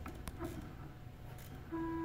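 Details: WorkBee CNC router with Teknic ClearPath servos on Y axis: steady mid-pitched hum while jogging as the servo works harder to hold position at default tuning near 19; fixed by turning fine tuning fully to quietness.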